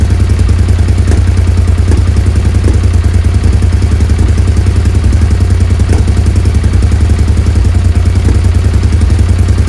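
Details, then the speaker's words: Suzuki SV650S V-twin, carbs freshly cleaned and refitted, idle readjusted, before carb sync: deep, lumpy idle with uneven throb and loose clatter; still rough, throttle lags; owner suspects unsynced carbs and possible leaks around carbs. "right so yeah it's still a bit rough I've got the idle I had to adjust the idle again after I did the changes here"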